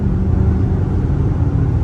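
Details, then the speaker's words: Straight-piped V8 Chrysler 300, after fitting muffler/resonators, at highway cruise, windows up: steady low rumble, no booming drone building in the cabin, earlier drone gone; normal highway cruise. "It's gone. The noise I was hearing before is gone. And that's all I wanted."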